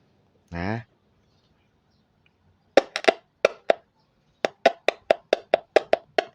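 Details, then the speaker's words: Horn speaker driver after repairing a shorted lead: touching a supply stronger than the multimeter to the terminals gives louder crisp even clicks, diaphragm jumping out showing correct polarity; healthy voice coil, normal click test. "ก็จะดังแรงขึ้นอ่าโอเคแล้วทีนี้เวลาเอาไฟที่มากกว่ามิเตอร์มาขี่ถ้ามันโดดดึ๋งๆขึ้นมานะแสดงว่าขั้วที่เราใส่น่ะถูกต้อง"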